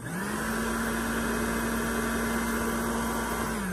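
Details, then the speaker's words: Popper coffee roaster with known fan motor defect (fails after 30–80 roasts); this normal unit on high then low speed: steady, even whirring, fan strong and consistent, no wobble or rattle; healthy fan motor. "that's the high speed it's the low speed you know here the fan is strong it's consistent it's a running at an even level"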